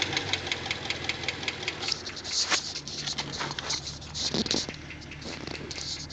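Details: 2009 Pontiac G8 GT V8 idling with a fast, light, metallic ticking on top of the engine, a lifter tick.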